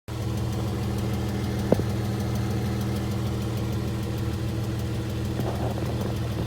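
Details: Dodge Charger with Chrysler 3.6L Pentastar V6 at steady idle, before repair: faint, quick, regular ticking over the low hum; ticking was later fixed, cause not confirmed.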